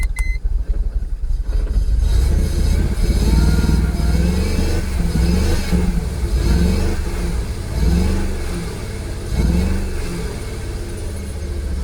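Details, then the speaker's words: Jaguar XKR (X100) after Bank 1 Denso coil swap, with pending multiple-misfire codes, restricted performance and open loop: repeated throttle blips with a rough, uneven note as revs climb and sag, close to stalling; engine misfire when revving. "let's give a bit of throw h it's going to stall I don't touch the"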